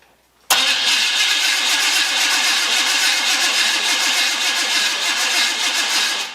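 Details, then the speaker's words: 1981 Oldsmobile Cutlass Supreme with small-block swap, new headers and battery cables, cranking: harsh metallic grinding chatter over the cranking as the starter pinion fails to mesh properly with the flywheel. "let's crank her oh gosh I hate that noise here we go"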